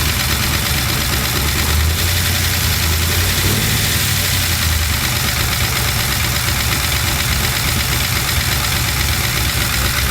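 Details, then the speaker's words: LS-swapped Chevy C10 with new lifters and reinstalled head gaskets and heads: steady idle with fast light ticking following engine speed; valve train tap persists, code reader shows timing advanced, owner suspects cam was installed mistimed. "all right so we got um still have that that valve train tap and uh my code reader's showing that the timing is advanced"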